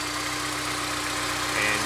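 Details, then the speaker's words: Honda S2000 after timing chain tensioner (TCT) replacement, idling: sounds much quieter with a steady, even hum and no ticking or rattle; timing chain sounds quiet and healthy. "sounds a lot quieter I don't really hear any of the ticking noise anymore I mean anything just coming from the cell totally looks good again"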